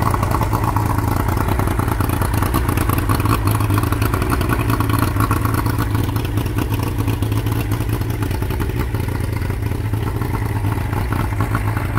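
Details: Boat engine run after lower drive reinstalled, loading up and smoking; low, uneven clattery lumpy running that never settles, owner suspects needle jetting in the carburettor bowl is not right.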